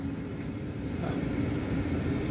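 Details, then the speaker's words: New inducer motor just installed on an 80% furnace, replacing one that was badly out of balance and vibrating loudly: smooth steady hum, one constant tone, no rattling or wobble; normal running, much better than the old one. "that's a lot better that sounds a lot better doesn't Jason the other one was missing some"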